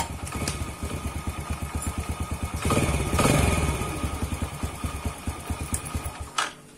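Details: Yamaha Jupiter Z after repair of a clunking noise when shifting gears and opening or closing the throttle, gearbox and clutch serviced: small single at a steady idle with a throttle blip, no clunks or knocks; sounds healthy.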